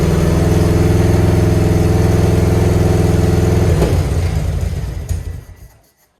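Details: Grandpa's Harley-Davidson V-twin, off the road 15+ years, on what is meant as the last start: loud, lumpy running with uneven exhaust popping ("farting"), then it cuts out and dies. Popping cause unknown.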